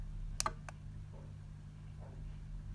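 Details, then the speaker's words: Eagle 5-gang remote control extension cable: sharp relay clicks as a socket switches off, the socket relay audibly pinging on and off over quiet room hum; normal operation. "see the lights just come on there and then you can switch off you can hear it click slightly when you do it as well if you listen to the machine"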